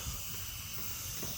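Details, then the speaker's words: Craftsman 33-gallon air compressor, motor off after filling: steady even high hiss with no pulsing as pressurised air escapes at the air hose coupler; the pressure switch leak is already fixed, and the coupler needs replacing. "now it's just leaking through here all right so the problem through the pressure switch is fixed and that's fine but um now I got to switch out this little thing for the air hose and that's a leaking"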